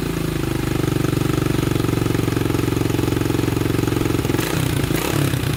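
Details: 1987 Honda 250X single finally running after new valves, new coil and about a thousand kicks, idle adjusted up: brisk even idle thump with no misses or stumbles; normal healthy idle.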